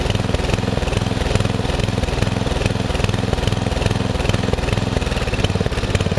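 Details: Murray riding mower after long shed storage and a mice nest in the engine, owner suspects the unchanged gas filter caused surging: steady, even single-cylinder thump at fast idle, no stumbling; ran normally.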